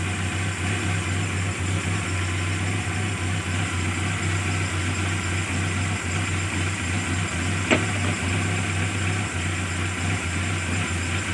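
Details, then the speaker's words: Carbureted engine that was hard to start and sputtering, restarted after solenoid valve removal, carburetor not yet adjusted: it starts easily into a steady, regular idle hum with no stumbles or misses, a normal idle. "hasilnya bagus langsung hidup ya mudah sekali hidupnya"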